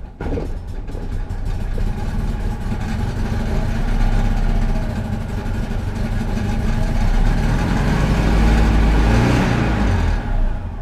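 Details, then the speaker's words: Citroen 2CV twin after carburetor cleaning for cutting out and hard restarting following running the fuel tank low: putters at a slow, slightly uneven idle with a soft chuffing beat; idle set very low, adjusted up slightly, possible gummed-up petrol remaining. "It got a very, very low idle at the moment, and I have adjusted it a bit up, but I will just let it bed in for a bit,"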